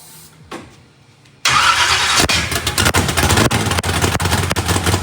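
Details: Freshly built 409ci small-block Chevy V8 race car, first fire-up with turbo not fitted and a weak battery: slow cranking catches and fires into a steady, lumpy idle with an even exhaust beat; running healthy.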